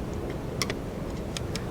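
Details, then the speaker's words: 1973 Honda CB350 Four, points broken earlier, missing black wire reconnected, key on, points grounded by hand with plug out; faint irregular snapping crackles as points open and close, spark present; ignition spark present. "so the key is on and I should be able to I'm getting something I hear some some crackling"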